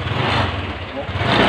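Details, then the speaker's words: Honda Click 125 scooter at idle: a loud, rough, rattly clatter rides over the idle throughout, far too noisy; something inside is suspected, but the source is not yet confirmed. "Kapagawa ko kasi yung... yung Honda Click ko kasi sobrang ingay na. Grabe na talaga yung ingay."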